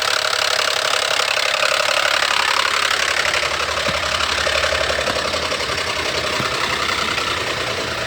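Petrol engine idling with a loud rushing hiss and a faint regular ticking about four per second; noisy idle, cause not clear. Cause suspected, not confirmed.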